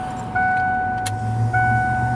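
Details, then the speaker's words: 1988 Ford F250, new high-pressure fuel pump on driver side just installed (truck wouldn't start before): steady high electric whine cuts in, briefly drops, resumes evenly with no rattle or surge; normal fuel pump priming. "Okay, we got everything mounted. We can give it a test. We can hear"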